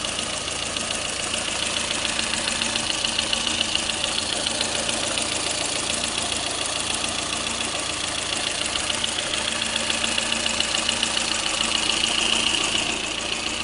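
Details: Lada Kalina engine at steady idle with a sharp, fairly regular ticking knock about two per second on top; engine knock at idle, cause not yet pinned down.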